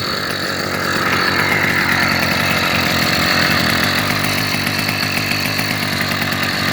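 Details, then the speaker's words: New 66/80cc Chinese two-stroke motorized bicycle engine on its third start, running 24:1 oil/gas and 91 octane. Crisp buzzy note picks up with a rev, then settles to a steady even idle. Healthy. "very happy with how its motor is running"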